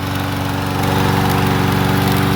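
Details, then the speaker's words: Troybilt TB110 push mower single-cylinder engine after valve check, spark plug gapped to 30 and a used carburetor fitted: runs smooth and steady at governed speed, even beat, no misses or knocks; sounds healthy. "Other than that, he sounds like a peach."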